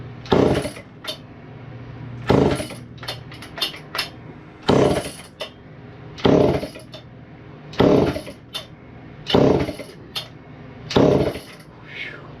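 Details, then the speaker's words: Chainsaw won't start: pull-cord cranks every one and a half to two seconds with very high compression, never fires. The fuel tank is empty. "oh it's out of fuel there's no fuel in it yeah that that might help the amount of compression in this thing though is just ridiculous"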